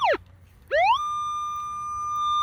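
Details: Minelab Equinox 800 in pinpoint mode after a clean signal from both directions: the tone sweeps up sharply, drops out, sweeps up again, then holds one steady high pitch. The target is centred under the middle of the coil.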